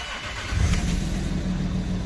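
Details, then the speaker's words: Land Rover Discovery 3 after refitting the old handbrake control module, since the new module put it in crash mode and it would not start: short crank, then it catches and settles into a steady, even low idle with no misses. Normal start and idle. "She runs sweet."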